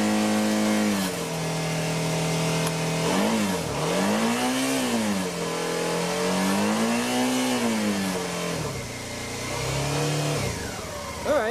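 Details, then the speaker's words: 2013 Suzuki V-Strom 650 revving smoothly with no rattle after the fix: the tinging rattle around 5,000 rpm came from the two-piece Givi crash bars; drilling to fit a new bushing cured it. "don't solve it no more mysterious highway rattle"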